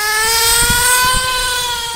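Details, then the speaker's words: Nitro RC car after about 3/4 tank: back in neutral, the engine suddenly takes off, a high piercing note holding flat out and creeping higher with no throttle; engine runaway. "after the second time I go back to neutral you can hear it suddenly just take off first thing that goes through my mind is oh [ __ ] it's a run away"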